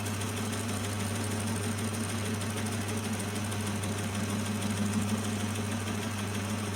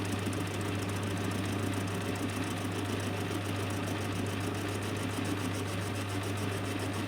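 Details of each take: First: Lathe with a homemade milling jig machining steel angle. A constant motor hum under a rough, chattering cut, about three beats a second, as the tool hits an old bolt stuck in the workpiece. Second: Lathe with a homemade milling jig facing angle, a tenth taken off per pass, the cutter heard hitting both corners. A steady motor hum under even, rhythmic cutting chatter with no squeal or stalling; the face is cleaning up nicely.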